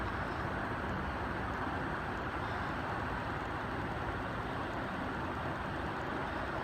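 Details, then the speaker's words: Two 60-inch cast aluminium Dayton industrial ceiling fans at full speed, one new with longer down rod: even, steady rushing roar without knocks, wobble or scrape; normal running. "There you have it, two 60-inch Daytons. This one seems to run a little bit faster, a little more air, but that might be just because the longer down rod."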